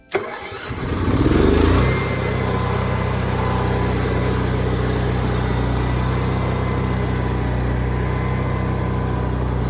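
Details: Onan generator after adding an inline fuel filter, side cover on: brief crank, then catches and settles into a smooth, even drone with steady pitch; normal start and idle.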